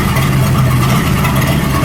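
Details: 1937 Buick Roadmaster with an apparently rebuilt Stromberg carburetor, after the idle screw and idle mixture screw were set: a steady, low, even idle hum with no misses or knocks. It sounds much better but still needs fine tuning. Normal idle.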